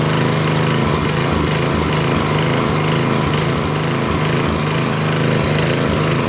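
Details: Northern Hydraulics pressure washer, Briggs 3.5 hp engine with primerless vacuum fuel reservoir, unused 8 years; after starter fluid start and fixing hose, wand and clogged rusted tip, single-cylinder engine chugs steadily with spray hiss; running normally, starts well.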